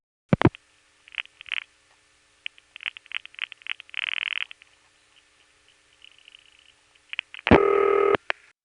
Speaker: You have the normal five-digit sequence here, but before it there are two other revertive digits. And after that, there's a long pause. And then finally, Gotham cuts through and the panel rings.